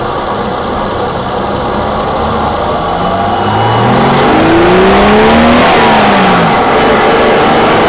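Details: 1987 BMW E28 520i, M20 2.0-litre 129 hp inline-six petrol engine with nearly 400,000 km, heard in various driving conditions; smooth, even rev climb with no knocks or rattles, now running excellently again. Healthy engine revving.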